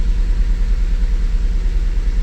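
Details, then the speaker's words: 2008 Mazda CX9 at idle with code P0201, cylinder 1 injector open circuit and no injector amperage on scope; rough, lumpy idle with uneven low chuff and stumble, misfire from dead injector. "let's Crank It Up definitely a misfire"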